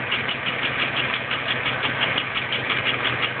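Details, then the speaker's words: Junkyard 2004 Impala 3.4 GM engine installed in a 1999 Alero, idling after new upper/lower intake gaskets, pushrods kept in order, rockers torqued: sharp continuous tick-knock about three per second, persists after 15+ min, no warning lights; owner suspects pushrod/rocker or rod, seemingly front. "and it's a continuous knock so I'm hoping maybe push rod to me it seems like it's coming right here in the front possibly where I hear it"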